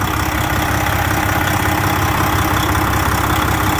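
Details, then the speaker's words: 2007 Freightliner with rebuilt Detroit 60 14L diesel, over a year after rebuild, aftermarket turbo, EGR still fitted; steady even heavy idle with no knock or miss under loud fan rush: normal idle. "There's the fans about to start now. You can hear the engine now."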